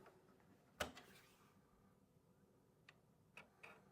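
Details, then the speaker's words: Amiga 3000 floppy drive reading a disk. A sharp clack as the disk seats, then a few soft, spaced head ticks; the drive operates normally. "looks like the floppy Drive is in good shape that's that's great to know"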